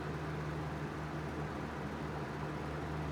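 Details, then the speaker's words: Small Fasco fan motor after rewiring and reassembly: steady smooth low hum with no ticking, scraping or wobble; runs cleanly, little difference between speeds. "these speeds change as there there's lo not a big difference between the speeds that's pretty nice"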